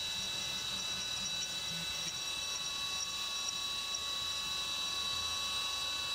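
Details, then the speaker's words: CNC 3D milling of the side of an AR15 high-rail gas block on the back side of the part, where no material is gouged; steady thin high spindle and cutter whine, no rattling or squealing bursts; smooth, chatter-free pass. "And you'll notice it's not getting chatter when it goes on the back side of that part because it's not gouging any material back there."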